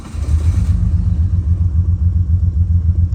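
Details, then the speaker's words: Neglected $500 skid car with a previously seized engine starts after a vacuum leak was fixed, but runs with an uneven, lumpy low rumble and stumbles three or four times a second; bad misfire. "okay it starts but there's a misfire I don't know why to be honest"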